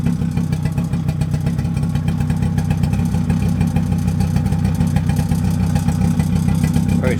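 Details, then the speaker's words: Mid-1990s Suzuki LT50 two-stroke quad after refitting the old spark plug, smoky from two-stroke oil in the fuel: steady rapid buzzing with no stumbling or dying; running properly now, much better than before. "smoky because it's running 2-stroke in the fuel as well as in the tank, you see. Yeah, it's a lot better than it was."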